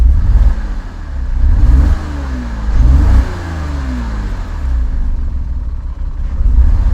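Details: Porsche Cayman six-cylinder revving up and down at an autosolo with an uneven, lumpy beat; engine warning light came on and a misfire dropped it to five cylinders, seemingly fine at high revs.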